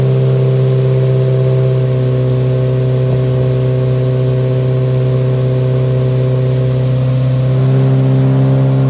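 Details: Nissan 180SX Type X, SR engine with TD06 20G turbo, 3-inch dump pipe, full-load dyno run at 15 psi with injectors maxed near 255 rwkw: loud, steady deep drone at even pitch, slight climb near the end. Strong, normal pull.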